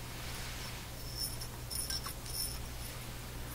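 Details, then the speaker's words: Silvertone 101-583-2 multiband tube radio, vacuum tube held up to the microphone and shaken: a few faint, light glassy ticks over a low hum. Loose glass fragment rattling inside the vacuum tube. "there's something flying around in there look like a little bit of glass that's not a good sign"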